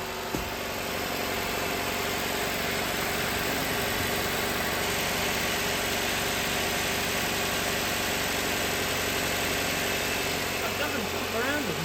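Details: Nissan Qashqai, belt drive idling after a replacement part was fitted. The owner suspects the old part's spring was weak, and the new one jumps around less. Steady, even idle with a constant hum and no slap, chirp or rattle; the accessory drive sounds healthy.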